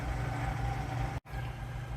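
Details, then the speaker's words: Newer shop air compressor just installed to replace a 37-year-old unit, heard from another room: even low hum of steady pumping, no knocks or rattles; normal running. "we're going to turn this thing on and uh you'll hear it come on in the background and uh uh see how it goes all right so he's pumping there now"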